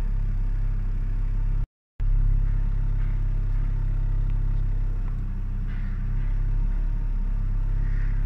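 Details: Hyundai Sonata six-cylinder petrol engine idling with a low, steady, even rumble, without misses or surging, after replacing a broken intake hose that had caused a high, rough idle.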